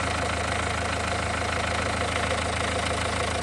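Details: Renault 1.5 dCi diesel idling during post-repair leak-off test, injector no. 4 refreshed with new Delphi valve and nozzle: steady, light regular clatter, no misfire; no. 3 returning fuel, no. 4 clean, repair worked.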